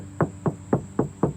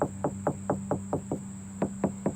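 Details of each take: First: Five sharp knuckle taps on the driver's-side panel of an Acura RSX ring hollow and resonant, bare sheet metal with no bondo underneath. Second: Knuckle taps on an Acura RSX body panel land dull and solid, not hollow, because it is caked with thick bondo filler that is visibly cracking: dull tap from thick body filler.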